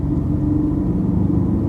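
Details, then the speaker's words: Ford Falcon XR6 driving at 40 to 60 km/h, interior view; mild steady hum under road rumble, tolerable at 40 and a clear whirring at 60, not tyre noise, worn wheel bearing hub before replacement. "forty not too bad the sound is actually tolerable but they out will creep up to sixty and I'm at sixty yeah you really start to hear the whirring sound that's definitely not the tire noise"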